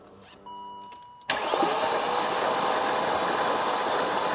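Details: BMW Alpina B10 4.6 V8 cranked after about 12 years sitting, on a good battery plus jump pack with spark plugs out: free, even starter spin with no compression pulses or binding, a little blown out of the plug holes, a very good sign.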